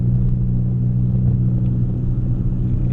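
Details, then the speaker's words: 1990 Honda Civic running without a muffler or resonator, heard inside the cabin while cruising: a heavy, steady low hum that turns raspy and droney at certain highway speeds. Exhaust drone from the missing muffler. "the problem is when you're out on the road when you're on the highway at certain speeds it gets really raspy really droney and there's nothing you can do to control it it just is it gets irritating"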